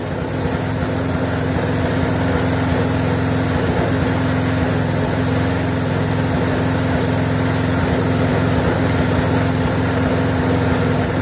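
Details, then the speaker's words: Briggs & Stratton 4.75 hp mower engine (possibly on a Craftsman) that didn't run, now running with air filter and gas cap refitted in a run-length test: a steady single-cylinder putter at even speed, no surging or dying. Normal running. "this is critical to see whether or not it's going to run longer than a minute if it runs out of gas it's one thing if it dies on its own it's another"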